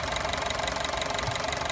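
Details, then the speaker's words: Honda City running on CNG, which stalled as soon as it switched to gas, after flushing injectors and replacing one leaking gas injector: steady, even idle with no misses; normal idle after repair. "ตอนนี้ก็เครื่องนึ่งแล้วจากการล้างมาเพื่อพ่อหัวฉีดรั่ว1หัวนะครับก็ทำการเปลี่ยนให้เรียบร้อยอันนี้เครื่องนิ่มแล้ว"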